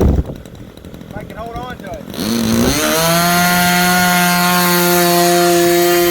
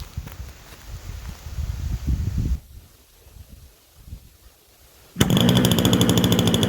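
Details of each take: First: Super Tigre 90 glow engine in an RC Super Chipmunk being tuned for the mixture: sweeps up quickly, then holds a steady high-pitched scream with no sag or fade; normal full-throttle run, close to ideal, slightly richer wanted. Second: Super Tigre 90 glow engine in Super Chipmunk RC plane, first start after priming, well-kept low-hours engine: catches and holds a steady, low, rough burble; needle set about three clicks rich to lube bearings at lower rpm.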